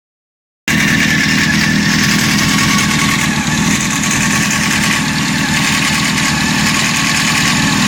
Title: Honda CBR 600 F4 timing chain noise